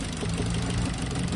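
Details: Petrol car running on LPG at idle, misfire continuing on LPG: uneven, lumpy, stumbling beat as one cylinder drops out while cylinders are checked one by one; ignition suspected.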